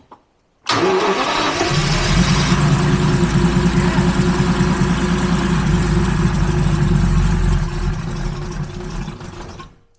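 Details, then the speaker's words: Abandoned Jaguar XJRS V12 with the throttle jammed open, fuel primed and pump off, distributor slightly adjusted, plugs possibly fouled: it fires and runs rough for several seconds, then fades and dies. Close to running. "Okay. We're close."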